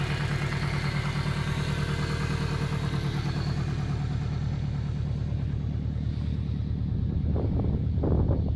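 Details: Subaru Impreza WRX GC8 EJ20G turbo at idle: hard rhythmic deep knock about three per second from the bottom end, present for about three years; said to be the forged parts, owner suspects connecting rod.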